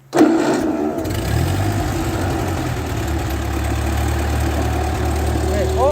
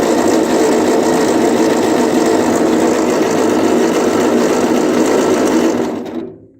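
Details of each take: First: 1939 Ford 9N tractor restarted after alternator refitted; starter catches, engine fires and settles into a steady, even idle with faint hydraulic pump hum underneath. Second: 1939 Ford 9N tractor cranking with ignition on and power at coil; steady starter churn about 200 beats a minute, never fires: no spark, dirty points, distributor to be removed and points filed.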